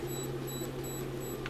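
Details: DeWalt USA-made cordless hammer drill, motor near 1/3 hp, run from battery into a homemade resistor-bank load with the trigger's PWM speed-control brain box: thin steady ~4 kHz whine over low hum, pitch unchanging; normal PWM switching noise.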